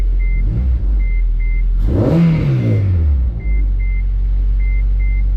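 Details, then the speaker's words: 8th-gen Honda Civic Si with swapped 2005 K24A2 (TSX intake cam, RBC manifold, 310cc injectors), first start on base map, no coolant: single throttle blip, revs sink back slowly over a second or more while a chime beeps; rev hang. "Alright, that's a good sign. I don't want to run it for too long. I don't have any coolant in it. Oh, rev hang. I got to get rid of that."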